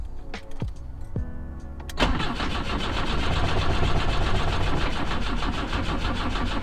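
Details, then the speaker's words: BMW 2002 cranking after a carb swap and distributor work, coil possibly left unplugged: the starter spins the engine steadily but it never fires. The owner suspects no spark, because that distributor uses the old points system they had removed. "that was fast i don't think it's getting a spark though because that one's using the old system with the points which we got rid of"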